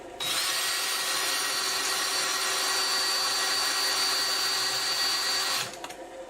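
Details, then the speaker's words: Cheap hand-sharpened Harbor Freight drill bit on hardened steel while building a sawmill blade sharpener: steady high drill whine with dry rubbing hiss, no cutting bite; bit not cutting, better-quality bit to be tried. "that answer is no these are just Little Harbor Freight drill bits so I'm going to try a little better quality and see if it'll work"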